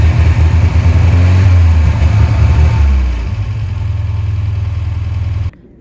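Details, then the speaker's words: 1992 Volvo 940 wagon running with no coolant, milky oil and a dry transmission, smoking from the sides and bottom: rough low idle with a loose clack at about three per second. The engine is clacking; cause unconfirmed. "It is smoking from the sides and bottom pretty good. Problem is, it's starting to clack pretty good."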